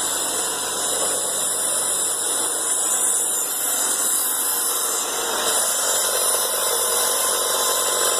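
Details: 1996 Toyota Camry after replacing a badly damaged, nearly broken serpentine belt with rib separation: steady, even idle with no squeal, chirp or slap from the belt; accessory drive sounds healthy after repair.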